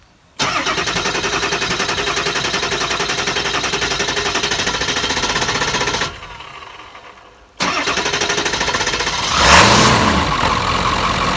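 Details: Ford F-350 7.3 Powerstroke bought non-running, found with no oil, started after throttle pedal fuse issue, first start in years: cranks, catches, rough clattering idle, dips briefly, then revs up steadily; normal start.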